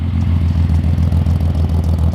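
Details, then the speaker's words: Datsun 280Z warming up after repair attempt: low idle thump close to normal but rising and falling slightly; idle still wavering too much. "It sounds like a normal idle, but it's still wavering a little too much, I think."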